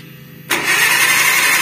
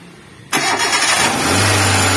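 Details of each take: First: KIA Visto that broke down on the road, cranked: starter spins fast and even with no compression chuffs and no firing; suspected broken timing belt, to be confirmed under distributor cap, no compression. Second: KIA Visto that would not start with no compression from a snapped timing belt, started after timing belt replacement: cranks and catches quickly, blips once or twice, then settles to a steady, even idle with no knocks or misses; runs healthy.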